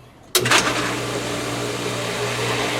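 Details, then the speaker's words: Smaller pool pump started with the system emptied of water and full of air, both pumps switched on: motor kicks on abruptly into a steady, hollow hum with a light rushing overtone; airlocked, running dry and purging air. "this pump is going to be airlocked the smaller one here it makes the most awesome sound when it gets out of airlock and starts pumping the ground Shakes You Feel It"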